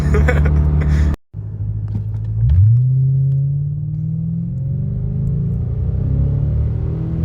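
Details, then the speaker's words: 1991 Lexus LS400 automatic (A340) after Transgo shift kit and new shift solenoids, hard acceleration toward about 80: engine pulls hard with rising note, quick clean break at shift, climbs again; firm normal shift. "So you can see in those first 2 videos, it shifted so much harder."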